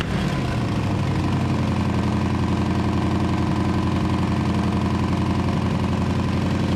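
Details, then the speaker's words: 1934 Ford chassis with 1960s Buick Nailhead V8, first run in about 40 years, fuel poured in because the accelerator pump isn't working: loud, fast open-exhaust bark at about 220 pulses a minute, steady and even once caught. Normal running, open exhaust. "now let's see what happens slingshot engage well she runs you better open some doors though"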